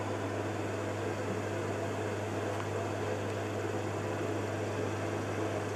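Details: Carver Fanmaster caravan heater 12 V fan, 1996 Swift, after fan and control PCB repair: constant low hum with airy rush, speed fairly even, no rubbing or grinding; spins freely, though motor runs quite hot and may fail.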